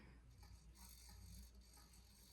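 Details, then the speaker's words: Evergo E2 ceiling fan running at high speed: a light, uneven rattling buzz. The owner suspects the bearings rather than the motor, but the cause is uncertain. "That is the motor that's making that noise, which is crazy to think about. Not the motor, but the bearings."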